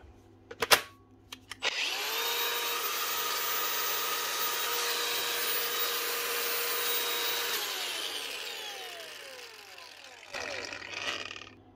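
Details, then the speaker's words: 2014 Makita 4½-inch cordless brushless grinder after replacing a worn 607 bearing (customer reported a bad noise and smell): smooth, steady high whine spinning up and winding down cleanly with no rumble or rattle; normal running. "one 4 and 1/2 in Makita cordless brushless Grinder from 2014 up and running again with just a single bearing"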